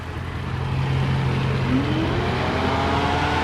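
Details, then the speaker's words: 2009 Dodge Ram 4th gen with an A/C fault: the engine idles steadily; plugging the high-pressure switch back in engages the compressor with a rising whir and the electric fan comes on. Engagement heard; cooling fault undiagnosed. "now when i plug it back in compressor comes on now listen"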